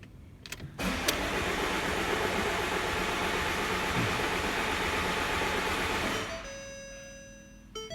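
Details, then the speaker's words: Ford Mondeo Mk5 2.0 diesel that cut out and won't restart: starter spins about four turns a second for six seconds, no firing; rail pressure only ~5,000 psi versus ~10,000 needed; crank no start from broken high-pressure fuel pump shaft. "Yeah, 5,000 that went up to. So it went up a little bit. But I'll tell you something, it's not enough. We should be seeing like £10,000 per square inch."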